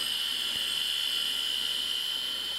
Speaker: the heads have gotten so badly scraped up now that it's actually being pried off the disc slightly and you can actually hear it colliding with the disc now